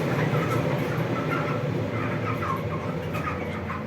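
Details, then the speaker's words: Vents 300 duct fan newly fitted with a speed controller with timer, running at reduced speed: a low, even hum with a soft airy rush and no knocks or rattles. Much quieter than before; normal running. "вмикаємо так Да він гуде але вже не так як гудів тобто він ледве-ледве чутно зараз покажу"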